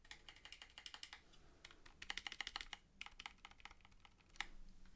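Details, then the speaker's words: ZSA Moonlander split mechanical keyboard after fitting 1.2 mm heat-shrink tubing on the stabilizer bars of the two big triangle keys: crisp, quick key clacks in steady typing bursts with no buzzy rattle; stabilizer rattle is gone. "rattle is gone so although that's slightly more involved than than wrapping plumbing tape around the stabilizer bars i think that's well worth it if you want a solution that's just going to make the problem go away"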